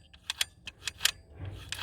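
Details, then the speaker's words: DV6FC diesel EGR valve, engine off, reportedly electronically disabled and stuck closed: a handful of sharp, light metallic clicks as the valve snaps back shut cleanly; it is working and closing properly. "Enfin, on entend bien, on voit rien. Elle est là-dessous, la vanne. Elle fonctionne, hein."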